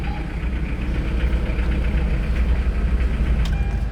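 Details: Hyundai Starex diesel with a hard-start problem solved, glow/heater plugs preheated 8–15 seconds: the engine starts and settles into a deep, even diesel clatter at idle with no stumble or misfire.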